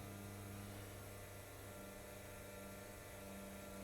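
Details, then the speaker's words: 1929 Cord L29 Cabriolet out of seven months' winter storage, key on before first start, carburettor likely dried out: steady low hum with a faint even whir, no rattle or surging; electric fuel pump priming normally. "Turn the key on. Listen for the electric fuel pump. I hear it running."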